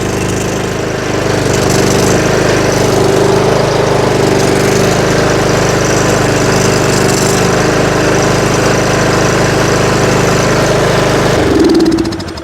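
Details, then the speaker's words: Yard Machines riding mower with PowerMore single-cylinder engine, outside on choke after starter work: steady, even chug holds for about eleven seconds before shutting down; runs cleanly, though a burning belt smell is noted. "Of course, I go outside and now it's gonna run perfect. So sounds pretty good."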